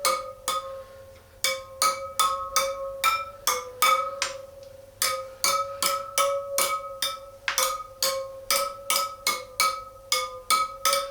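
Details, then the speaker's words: Triumph Bonneville T140 after winter storage, tapping front wheel stainless spokes with spanner: each spoke gives the same clear bright ping, no dull thuds; spokes evenly tensioned, front wheel okay. "as you can hear they're all nicely tensioned so i think the front wheel is okay"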